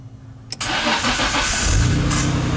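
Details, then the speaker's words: Nissan Skyline GTR (R32) after fitting new Optima yellow top battery (Toyota Prius size DS462B24R): quick, brisk crank, catches almost at once and settles into steady idle; cranks faster and shorter than old battery, strong healthy starting. "it definitely cranks faster than the old battery. The old one cranked way longer and slower."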